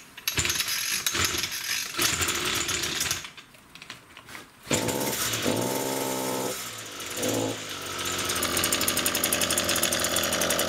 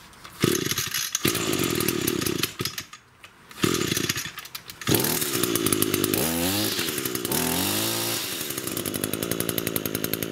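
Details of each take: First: Echo grass trimmer (string trimmer) before repair: revs up rough then stumbles and sags in pitch, revs wavering instead of holding; engine bogging under throttle. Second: Echo two-stroke grass trimmer that bogged, after repair and reassembly: buzz revs cleanly up and down, picking up throttle quickly with no bogging or stumbling; now runs like new.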